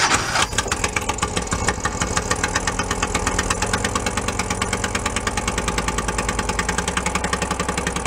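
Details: 1976 Porsche 914 station wagon, abandoned, after new fuel line setup. Sharp regular puffing tick on each firing over a rough, uneven idle; owner guesses compression leaking at top of cylinder head, not confirmed.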